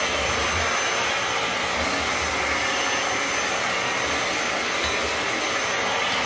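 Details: Dyson DC07 upright vacuum with the floor tool base moved aside to expose the brushes, picking up debris: steady airy motor rush with a constant hiss and no catching or stalling; floor tool working as it should.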